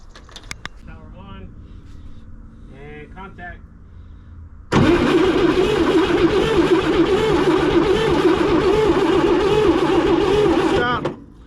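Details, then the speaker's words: 1961 Chevrolet Corvair first start attempt: the starter cranks at a steady three and a half turns per second for six seconds and never fires. No spark at the plug; a 980-ohm wire was measured. The owner suspects a bad ground, points or rotor. Cranks, no start. "yeah no sparkles but that just means that could just because our ground's no good"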